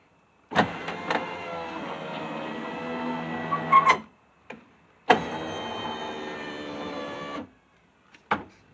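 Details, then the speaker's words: Subaru driver's power window after greasing the rail: two even runs of the window motor, steady hum without binding or squeak; window now moves smoothly and normally. "ah definitely moving better that's for sure"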